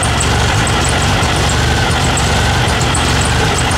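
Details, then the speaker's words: Turbo VW Beetle at idle right after an oil change on a full-flow system: steady low rumble with faint high chirps still coming from the belt drive; squeak improved, owner suspects the alternator pulley. "squeak is definitely better I kind of feel like it's the uh the alternator bully maybe making that noise"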